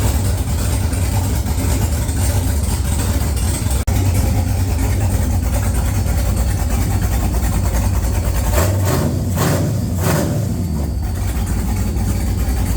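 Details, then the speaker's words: XG ute with a 6.0 L LQ4 (long-crank) V8 swap, first start after replacing a faulty new crank sensor: deep steady V8 idle, even unbroken rumble, no misses or knocks; running sweetly. "I'm a very happy man. Very happy to hear this thing run."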